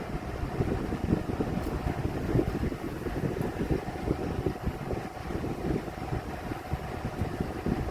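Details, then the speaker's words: Vornado 12-inch oscillating Silver Swan Alchemy desk fan, about 3 years old, found on the curb, at medium speed: uneven rapid ticking and rattling under a whooshing rush of air, fan kind of out of balance; fan rattle. "This thing is kind of out of balance, so. And I can still hear a lot of rattling going on."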